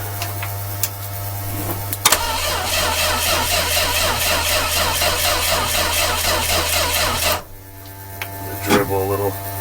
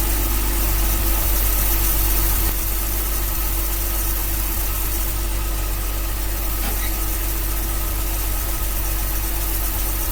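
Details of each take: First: 1966 Dodge A100 van with a 225 slant six, cold start after a long hiatus, carburetor primed directly by the fuel system and 12 V at the coil: steady cranking about two beats a second that never fires. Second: 1966 Dodge A100 van, 225 ci slant six, cold start after long sitting, coil fed by jumper wire bypassing broken ballast-to-coil wiring: steady, even low idle for ten seconds with no misses; runs well, accelerator pump plunger dried up.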